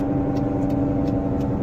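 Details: Hyundai Accent Blue driving on the road, especially under power, with a steady low droning hum under road noise from a worn wheel bearing, before replacement with an original part.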